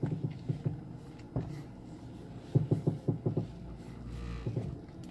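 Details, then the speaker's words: 2007 Mercedes-Benz E200 W211 at standstill: sharp clustered cracking creaks from front suspension as steering wheel is turned, louder on test drive; stabilizer bar suspected, not confirmed. "소리 들리시죠? 쭈두둑 하면서 부러지는 소리죠. 그게 나네요."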